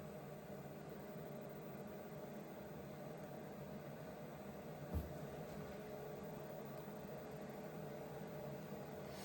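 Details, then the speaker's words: Vevor 8 kW Chinese diesel heater, first test run with air in the fuel line: soft, steady fan whir with no combustion roar or knocks; normal shutdown cooling fan run. "Interesting, the shutdown cycle, that's for sure. Anyway, we'll let it do its thing."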